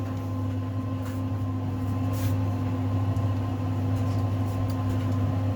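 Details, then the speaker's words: 5 kg Simpson clothes dryer tested with a washing load: steady strong low hum with even tumbling churn; motor and capacitor strong, running healthy under load. "So here we go. That's a strong capacitor."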